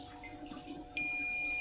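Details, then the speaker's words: Polytron LED TV that is dead, with a diode removed from the board and tested on a multimeter: sudden, steady high-pitched continuity beep both ways; the diode is shorted. "bisa teman-teman dengarkan bisa teman-teman dengarkan dioda ini shot"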